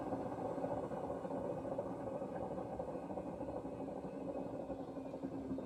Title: Hoover washing machine, 3.5 years old, what is the cause of the terrible sound? Bearing or motor?